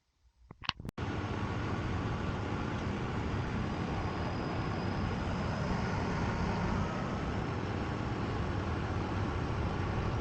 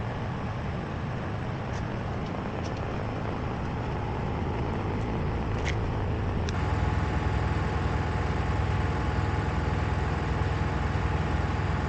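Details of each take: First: Miele WKG 130 WPS washing machine after shock absorber replacement to fix spin vibration and knocking: a few handling clicks, then a steady even rumble at spin speed, no knocking or thumping; normal spin. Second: Miele WKG 130 WPS washing machine in spin: deep rumble with strong vibration and an uneven internal knock about twice a second, from worn shock absorbers needing replacement.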